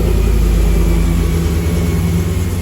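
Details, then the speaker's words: Aluminum-block 5.3 L LS V8 with a Delmo kit, swapped into a 1936 GMC truck, on jack stands in a garage at first start: a steady, even low rumble settling into a smooth, healthy idle with no misses, knocks or ticks. "She's all running. Make sure and open the garage door. But she's running like a champ."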